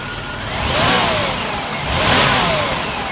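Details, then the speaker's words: Long-sitting car smoking heavily, with dirty oil despite a recent change: engine revs up unevenly, the acceleration breaking up and surging instead of rising smoothly; stumble under acceleration, cause not yet known. "It's kind of like, you know, if I describe it, what it sounds, you guys are gonna laugh at me, but it's not a smooth acceleration. It kind of breaks up a bit."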